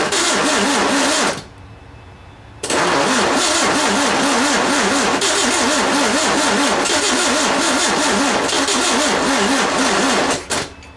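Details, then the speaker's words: 1967 VW engine (ragtop), spark restored and fuel dumped in; even rhythmic starter cranking that stops, resumes, then drops out without firing. Cranks but won't start; owner blames a dying battery. "my don't you hate when your battery goes away so close but yet so far I got to get some juice"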